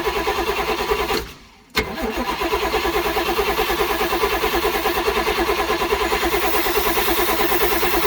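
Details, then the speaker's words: 1970s Sleek Craft jet boat's Oldsmobile 455 big-block V8, sat for years with water in the engine, run without exhaust manifolds: cranks, catches and settles into a loud, steady open-header roar with no rod knock; bottom end sounds good. "Alright, we got a motor that runs. I didn't hear any rod knock or anything crazy, despite having literally no manifolds on it, so it's really hard to hear what was happening."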